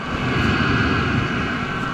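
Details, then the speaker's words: Vevor 8kW diesel air heater running and warming up, outlet air about 140°F and exhaust about 280. Constant even roar from burner and fan with a steady high tone on top. Normal running. "right so I might just have to renege on what I was saying about this thing being a POS because it is freaking blowing some serious hot air right now"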